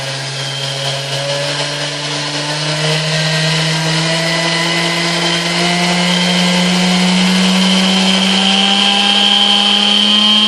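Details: 1960s Hamilton Beach Model K stand mixer after maintenance and service, heavy grime scraped off, turntable still missing: even motor hum rising smoothly in pitch as it comes up to speed, no grinding or knocking; a smooth, healthy run.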